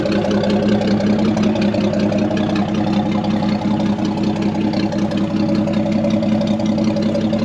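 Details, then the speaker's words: Chevy C30 pickup off the road since 1978, inline six revived: tippy-tappy, steady even idle with no knocks or misses, belt swinging a little, good oil pressure, generator charging; normal idle. "Sounds like a tippy-tappy little inline 6. Belt's swinging apart a little bit."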